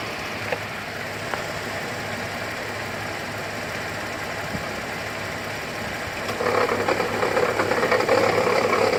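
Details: 2008 GMC Acadia SLT, key restart after auto start squealed then shut off violently: light even rattle about four per second over quiet idle, owner suspects failing pulley bearing; rattle at idle.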